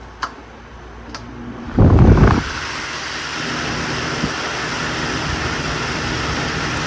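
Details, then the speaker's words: Vintage fan switched to high. After the switch clicks, a soft, even rush of air with no rattle, tick or hum. Super quiet on high, quieter than the owner's other fan, moving almost as much air. "super quiet on high quieter than the myar and you know moves a good amount of air almost as much as the myar not quite as much"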